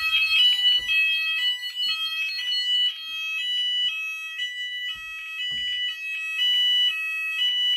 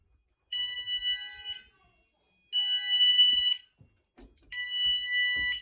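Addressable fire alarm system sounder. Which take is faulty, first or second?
first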